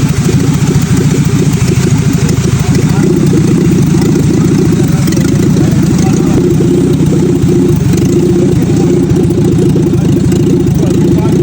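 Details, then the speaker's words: Fiat Padmini under restoration, first start with no exhaust fitted: loud, steady, even engine beat with deep low drone, no knocks or misses; healthy engine. "கேட்டிங்களா இதோட சவுண்டை வந்து எவ்வளோ சூப்பராக வந்து கொடுத்துருக்காங்கன்னு. So இந்த இன்ஜினோட சவுண்ட் எனக்கு ரொம்பவுமே பிடிச்சிருந்துச்சுங்க."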